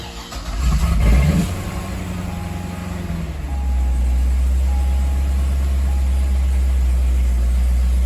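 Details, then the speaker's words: 2010 Corvette ZR1 (640 hp) rebuild after installing a new airflow part: revs at startup, then a low, even idle of about 700 rpm without the earlier back-and-forth surging; normal idle. "oh yeah way better before it was just surging back and forth back and forth so now we've got some actual solid like 700 rpms they're going"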